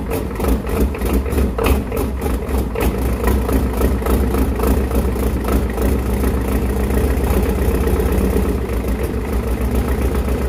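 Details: 1993 Ford 7.3 IDI turbo diesel, test-run before a swap, low on oil: steady diesel clatter at idle, a fairly even knock about three to four per second with no misses; engine sounds sound.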